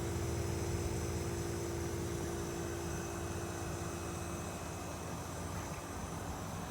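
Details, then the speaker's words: 12000 BTU inverter mini split in an enclosed racing trailer: a soft, steady fan rush with a low compressor hum and faint tones, no rattles or grinding. Quiet and healthy. "can y'all hear it running it's not loud at all"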